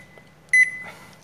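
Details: Toshiba washing machine that had the E2-3 door lock error: one short, clean high beep in a quiet room with no repeating error pattern. The washer is signalling normally.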